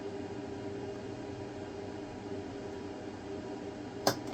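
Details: Elegoo Saturn resin 3D printer, first descent of the build plate to the bottom at print start after leveling. Quiet motor hum, then one sharp crack. Nothing is broken, prints succeed, and later descents are silent. Owner suspects creaking under resin pressure; cracking snap.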